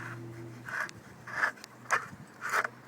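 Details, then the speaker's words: Golden Motor Magic Pie hub motor with 8-speed freewheel spun on hand tight: short gritty scraping bursts about once a second as it rubs the hub; needs a washer behind the freewheel (previous 7-speed didn't). "that grinding that means I'm going to need a washer and behind this freewheel which is going to push it out further"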